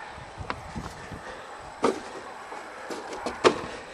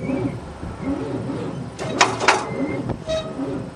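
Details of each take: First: 1978 Monte Carlo 305 V8 in a 1963 Allis-Chalmers loader, parked 5.5 years, third start attempt: scattered clicks and knocks, then it catches and roars into a loud, steady run; not seized as feared. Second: 1978 Monte Carlo 305 V8 in a 1963 Allis-Chalmers loader, parked 5.5 years, jury-rigged battery: slow, labored starter churn under a turn a second, engine feels tight and won't fire; owner suspects battery connection or seizing motor.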